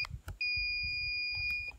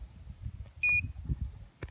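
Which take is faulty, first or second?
second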